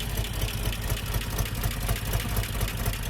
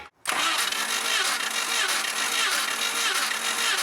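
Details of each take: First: 1988 Jeep Comanche Renix 2.5L I4 after fixing skipped timing chain and broken tension pin: rough low rumble with an uneven loping beat around two per second; runs, a bit smoother, possible misfire, rear plug looks black. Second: 1988 Jeep Comanche Renix 2.5L I4 cranking during a compression test: uneven chugging beat, roughly ninety a minute, for about four seconds; readings about 120, under 90, and around 160 psi on cylinders 1–4.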